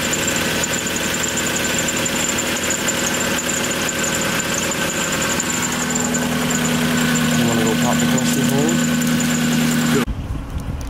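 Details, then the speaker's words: 1997 Lexus SC400 (Soarer) 1UZ V8 barn find, needing full tune-up, mic at tailpipe: V8 idle with uneven beat and occasional stumble, no check engine light; engine misfire at idle, cause not confirmed. "you guys are gonna see that when we start the car it does have a misfire um without a check engine light"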